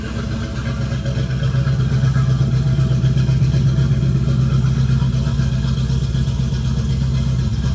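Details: 1976 Chevrolet Camaro V8 running: deep, even rumble holding steady with no knocks, misses or rattles; engine sounds healthy.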